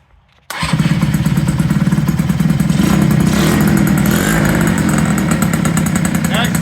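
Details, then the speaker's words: 1983 Yamaha CV80 80cc two-stroke scooter, flea-market find, cold morning, starting with new exhaust and new carburetor after repair. Quick catch after a short crank, then steady throbbing idle settling evenly: normal start and idle. "we're going to start up I'm going to show you the new exhaust and how it runs with the new carburetor"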